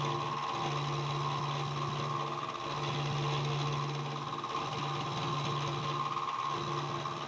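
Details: Milling machine cutting a slot while building NT30/ISO30 arbor for 50mm face mill: low buzzing hum pulsing a few times a second with rough rattle, cutter chatter; owner suspects not-sharp cutter or quill bearings.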